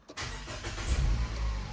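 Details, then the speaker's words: Nissan; short crank, then it starts straight away on the key and settles to an even idle. Fans are working. "Just straight away on the key, on the button."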